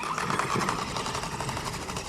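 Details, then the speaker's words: Rapid rattly chatter and grinding under the motor whine while driving a Redcat Vigilante RC truck on an 800 kV motor: drivetrain grinding, likely a blown diff; spur and pinion were okay, center diff suspected, gear mesh also doubted. "something sounds like it's hitting in there yeah something's broke already of course or is it just this flapping around okay sounds like we blew diff"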